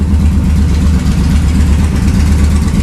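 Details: Motorcycle back from the mechanic, who found the cause of a mountain of problems: steady even low idle thump, no misses, rattles or hunting; now running like a dream.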